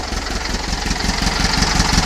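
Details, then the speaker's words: 1800 engine with Dellorto carbs, after swapping to stock pushrods, removing heater boxes and fitting a 1.5-inch header; cold, very low idle with 25 lb oil pressure: even, steady low putter with no misses, knocks or ticks, much smoother after the changes. "25 lb at a very low idle but can you just hear the sound how how much smoother it is"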